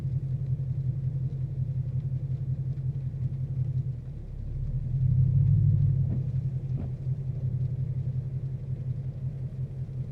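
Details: 2014 Mustang GT Premium, 22k miles, idling at about 700 rpm. Every 30-45 s it drops to 500, shudders and spikes to about 1,000 as the cooling fans switch on; owner unsure which causes which. Periodic rough idle.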